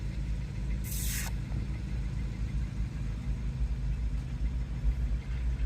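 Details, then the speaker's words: Newly bought car, battery fitted, no scan errors, on test drive: steady low engine drone, even with no knocks or misses, one brief hiss; engine runs smoothly and gearbox shifts; brake pads worn. "Что, проехался сейчас. И вроде все нормально. Мотор работает ровно. Коробка переключает."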